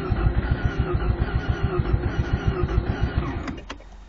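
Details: 1988 Mazda RX-7 GXL, warm after running 30-45 minutes, coils swapped and fast-idle screw adjusted: lumpy pulsing idle about three beats a second that sags and dies; owner suspects emissions control unit. Stalling at idle.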